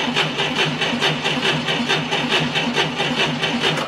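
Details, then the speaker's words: 1990 Ford Thunderbird Super Coupe, revived after years of storage, with a brand-new battery fitted: brisk, even starter cranking with steady quick compression pulses and very little voltage drop; good cranking speed. "well right out of the box we can see we had very little voltage deflection audibly we had a very good cranking speed"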